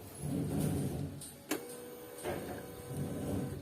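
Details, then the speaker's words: Used automatic scooter at key-on during purchase inspection: a click then short steady hum under a second that stops cleanly; fuel pump priming normally. "kemudian kita cek juga bunyi dengungan di bagian bensin Ya seperti kalau misalnya kita hidupkan seperti ini kan ada bunyi hunge gitu di bagian bensin itu harus kita perhatikan juga"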